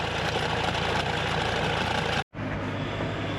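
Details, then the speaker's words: Roadside callout on a Sprinter-type van diesel at idle: uneven, loose knocking clatter that briefly cuts out, engine sounds worn and rough. Coolant is leaking, maybe from the pipe, but not worth fixing given the engine; the crank pulley visibly moves. "I think it's maybe just coming out the pipe, but there's no point in changing that when the engine sounds like that."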